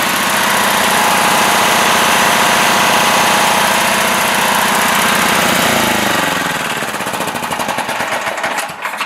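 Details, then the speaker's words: Mastercraft 8 hp 24-inch snowblower with a Tecumseh petrol engine runs loud with a steady knock, about four a second, before winding down; engine knocking, belts not yet removed to rule out pulley rubbing. "The problem with this snowblower is that the engine is making a loud knocking sound."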